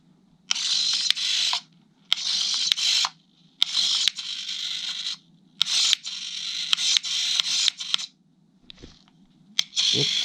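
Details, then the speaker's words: Arduino-controlled servo in a homemade "useless box": short bursts of high motor whirr starting and stopping cleanly. The servo had been straining, apparently hitting something, and stops struggling once the part is pushed down further; normal actuation. "If I push it down a little more, it stops struggling. It does work."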